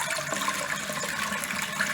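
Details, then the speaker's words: New farm-style waterfall faucet after turning down the supply valves to reduce high water pressure: soft, even rush of water with no high-pitched whistling; normal quiet flow. "See how much quieter it is. So that's what you want. Just barely enough water for it to flow out like that."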